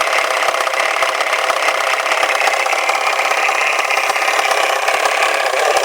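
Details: Volvo 480 with B18E petrol engine idling with a fast, dry clattering rattle like a toy machine gun; it also rattles while driving and continues after the throttle is released from revving.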